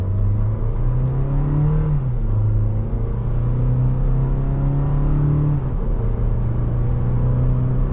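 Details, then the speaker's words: 2023 Toyota Tacoma SR 4x4, four-cylinder, 1801 miles, accelerating in ECT power mode. It revs higher before each upshift and the pitch drops at each shift. Smooth, normal engine and transmission. "and you can uh kind of tell that it definitely uh before it shifts it definitely lets it go to a higher RPM um before it starts shifting"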